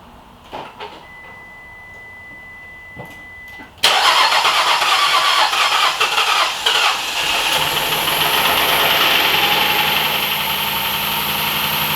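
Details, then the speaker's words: 2013-2020 Nissan Pathfinder first start after an engine replacement: engine fires up and idles with a loud airy hiss and thin high whistle. Vacuum leak, later found at the intake manifold plenum where something was left off. "At least we know it cranked, but then I feels like it has a vacuum leak somewhere."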